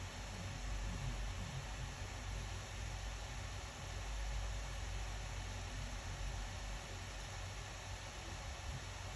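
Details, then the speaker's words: Acer Predator Helios 300 gaming laptop after the fan repair, rechecked and staying below about 6,000. Steady, even airy whoosh with a low hum underneath, no rattle or scraping. Normal fan running. "it means the problem is inside it won't heat up anymore it won't make any noise that looks perfect"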